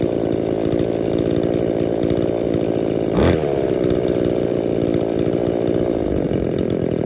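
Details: Scavenged two-stroke saw, owner suspects the purge bulb lets air into the carb's metering side, so the low-speed screw is set richer to idle; it idles, then burbles and blubbers unevenly when opened up; rich running.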